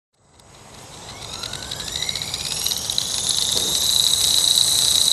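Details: Accurate 400 RC helicopter flown after a crash. A high whine climbs as the rotor spools up, with a rough fluttering pulse on it, an abnormal noise and vibration from crash damage.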